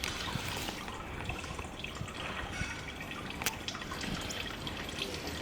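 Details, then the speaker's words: Sharp air cooler (radial fan) under repair, water passing through the filter-like cooling pad and running back into the tank; soft steady trickle and dripping with faint splashes: normal water flow through cooling pad. "And now it's going through this filter-like material, and I actually can see that it runs back into the tank."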